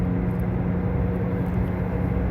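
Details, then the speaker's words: Dodge Avenger (about 2012) while driving: steady low droning roar with a faint hum that changes when the steering is moved slightly, no knocks; worn front hub bearing, apparently on the driver's side. "no pues sí definitivamente está haciendo ruido muchas veces se mueve es poquito el volante y cambia el ruido"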